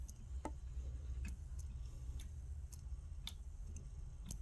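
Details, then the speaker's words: Vintage Leslie upper slow motor after cleaning and rebuild, plugged in: quiet, steady low hum with only light irregular ticking and no longer popping at switch-on as before; running normally. "see when I plug it in it doesn't pop like it was popping before so now it's not popping"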